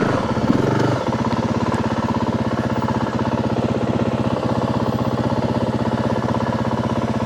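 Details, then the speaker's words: 2025 Yamaha WR 450F on a trail ride, chest-mounted camera: slow, laboured single-cylinder thumping that never picks up under throttle; engine bogging and struggling for power, cause not yet found. "The bike is not wanting to move freely. You can hear the motor struggling."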